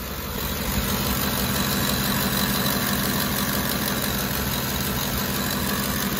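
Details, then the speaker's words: Ford flex-fuel engine with bank 1 and 2 rich codes: steady idle with a loud rough buzz from one bank's valve cover, whose internal PCV baffle has broken apart. "once it idles down it's really loud on that side there uh indicating the baffles come apart"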